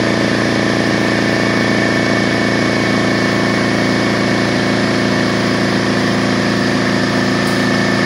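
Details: DeWalt 4.5-gallon air compressor, previously a no-start, running after repair (belt and piston good, tank rinsed); steady even motor drone with fast smooth pump beat, no knocks or squeals, building pressure normally.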